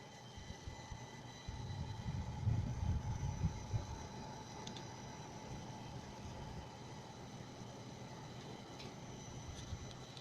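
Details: Chinese motherboard (Huanan, Plexhd type) after Windows boots, worse on High Performance power plan and not fixed by swapping power supplies, eased via ThrottleStop; thin steady whistling over low fan rumble: choke coil whine.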